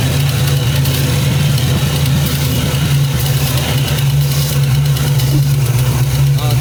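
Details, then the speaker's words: Carbureted car with new 2.5-inch exhaust, after vacuum leak repairs: deep, loud idle with an uneven, lumpy, wandering beat; rough idle, owner suspects another leak, possibly something simple, though throttle response is much improved. "But you can hear how it's idling. I think we have a leak again somewhere. It could be something simple though."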